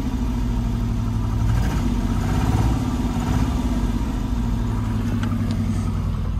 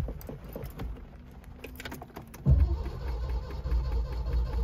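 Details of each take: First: Neglected, long-parked Citroen SM brought back to life, its hydraulic suspension lifting once running: an even, steady idle with a smooth low throb and no knocks or misses. Normal idle. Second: Neglected Citroen SM found by the roadside, first start attempt with the correct key: quiet clicks, then steady low churning as the starter turns the engine over without catching; cranks, no start yet.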